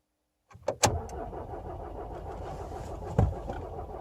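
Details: Hard start on a VW Passat with BMM diesel engine: the starter cranks steadily for several seconds with a low uneven grind before the engine struggles to catch, extended cranking.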